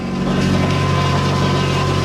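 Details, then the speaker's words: Nissan 240SX with SR20DET at cold idle while warming up, oil pressure reading normal; light quick tapping over the engine with power-steering whine behind; this tick isn't the knocking heard after a drift event, cause unclear. "here's the sound you can even hear it just an idle right now alright so don't mind the whining I know that's the power-steering but listen for the little knocking that you can hear"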